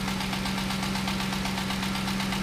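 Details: 2008–2011 Ford Expedition 5.4 3-valve V8 at about 190,000 miles idling with a fast, even knock, about eight per second, over a low hum; suspected rod knock, engine to be rebuilt.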